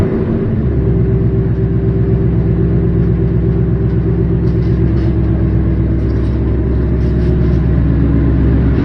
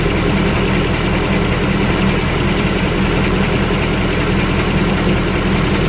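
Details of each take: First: Car with a new engine, after its first oil change and checked with a mic for a new knock; even, steady low rumble at idle with no tapping or knocking on top; normal idle. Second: V8 with new engine after first oil change: steady idle with a light, fast tick on top and faint knock, a subdued version of an earlier knock; cause not identified.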